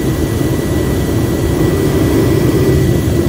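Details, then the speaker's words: 2.5 MW universal liquid/gas fuel burner test rig, running well over 1 MW: loud, rough, uneven roar with low rumble; flame starved of combustion air, blower inadequate, much bigger three-stage blower planned. "not enough Air at all the uh air setup on this thing completely inadequate but that's kind of what this test device was going to find out"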